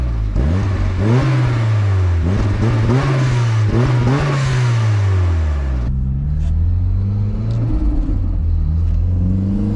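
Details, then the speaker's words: Exhaust of a 1994 Mazda MX5 Miata, stock 1.8L with Garrett GT2554R turbo at 5 psi, after fixing leaks, cat and resonator delete, 2.5-inch with Racing Beat muffler, pulling from 10 mph: deep even drone rising with revs, no rattle; normal exhaust note. "so it definitely sounds a lot better than it did I like it it doesn't rattle"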